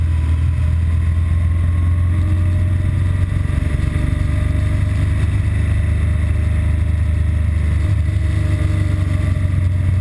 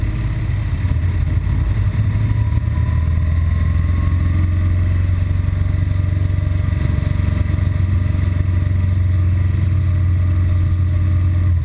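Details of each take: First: BMW R1200GS Adventure boxer twin filtering through traffic with a deep, even thrum and no stumbles, before its intermittent rough-idle and stall fault appears, which usually follows a 20-mile A-road run; running healthy. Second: BMW R1200GS Adventure twin idling with low uneven wavering thump, intermittent rough idle and stalling, typically after about 20 miles of fast A-road riding once in traffic.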